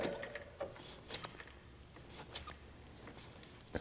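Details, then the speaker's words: 2006 Honda CR-V, engine off: the power steering pump pulley spun by hand gives quiet, irregular gritty clicks and rattles with no resistance; the pulley shaft has a lot of play, so the pump bearing is worn and the pump is junk, but it is not what bogs the engine. "There's not nice noises going on there, but there's no resistance, so I may have a problem with the power steering pump, but that's not what's causing the engine to bog down."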